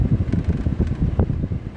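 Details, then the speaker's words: Fiat Doblò HVAC heater blower, previously inoperative, after repair, cycled through speeds 1–3: steady airy whoosh at medium speed with some fluttering but no scraping or squeal; blower working properly, AC also works. "blowing properly if i press that it will turn my ac on everything else obviously is working"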